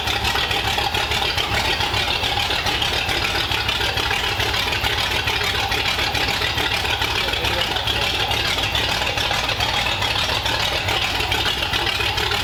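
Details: 1932 Ford Roadster four-cylinder Banger engine, idling in the car on its modified headers with pipes run under the car, first run since about 1953; steady exhaust pulse, hissy top end, no knocks or misses, healthy even idle.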